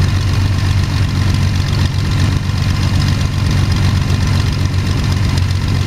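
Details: First start of Jabiru 3300 six-cylinder in plans-built Sonex with Rotec TBI, 50 hours on engine, mixture full rich, oil pressure 42, charging: smooth even low rumble at steady idle, no knocks, misses or ticks; sounded really good, normal idle.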